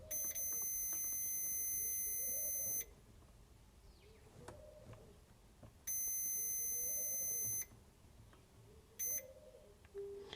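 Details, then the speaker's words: NiteCore New14 Intellicharger battery charger, multimeter on the bridge rectifier by the AC input: steady continuity tone in diode mode on one diode, dead short, while the other side reads normal. Shorted rectifier diode. "see that diode, that side is working, but that one's a short."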